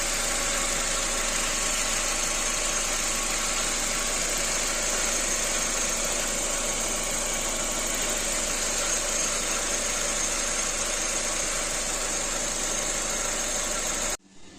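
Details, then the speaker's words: Hyundai Getz at idle after timing belt replacement with correct tension, gas (LPG) injectors being switched off: steady idle with thin constant high whistle; owner notes something whistles, suspected belt drive, unconfirmed. "значить все тихенько працює не як тоді Ану зараз форсунки вимкну газові хоча щось під свистить"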